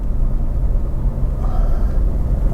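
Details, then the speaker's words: Honda Jazz Crosstar hybrid climbing a steep hill at 30 mph: deep, steady engine drone at raised revs over road rumble, engine turning the generator; normal, not over-revving. "i'm at 30 miles an hour which is the speed limit now you can hear the revs on the engine kick in there or i can and believe me they have done um and that's that's your engine there now turning the generator"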